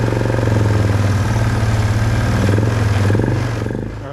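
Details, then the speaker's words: 2005 Polaris Trail Boss 330 that hadn't run in years, with choke pulled and contact cleaner sprayed on an intake air leak: a quick, even putter that idles higher than normal, then eases off; fast idle from the intake air leak. "it's kind of idling a little fast because of the contact cleaner we sprayed on that air leag"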